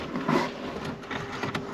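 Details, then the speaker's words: 2006 Mercedes CLS 500 that won't start, airbag suspension sitting low: with the key removed a steady whirring hum and light clatter keep going, so some pump, fan or module stays powered; it later stops. "So that tells me something is constantly going."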